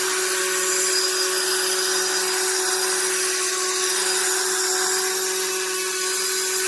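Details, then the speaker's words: HARDELL 12V cordless mini rotary tool (6 speed settings, max 30,000 rpm), owned just over 30 days: thin high-pitched whine with a buzzy, uneven edge at steady speed. The tool vibrates and the motor grinds. It sometimes quits working, and the charge indicator is inconsistent. "And you had it just over 30 days. It's vibrating. You can hear the noise it's making."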